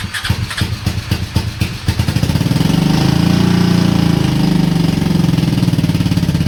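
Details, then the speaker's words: Honda Shadow, 20k miles on the same oil, parked four years: uneven popping and backfire when throttled, then a lumpy idle as if on one cylinder. Misfire; owner suspects sticking valves from no oil changes. "Running on one cylinder? Yeah, that sounds awesome. Let me go over this thing real quick. You can see that backfire I just did a little minute ago. I think that's the sticking valves from no oil changes."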